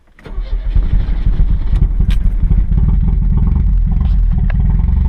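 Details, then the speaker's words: 1986 Chevrolet Chevette freshly started: lumpy, uneven running with a clattering, diesel-like knock over idle, seemingly ready to stall without throttle; rough running, cause not confirmed. "It's just not happy, that's all. Sounds like a diesel. Okay. Put her in gear here while giving it a little bit of gas. Otherwise, I think it'll stall."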